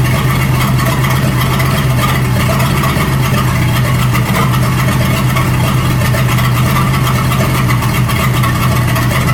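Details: 1937 Buick Roadmaster with an apparently rebuilt Stromberg carburetor, after the idle screw and idle mixture screw were set: a low, even idle hum with no hunting, misses or surging. It sounds much better but still needs fine tuning. Normal idle.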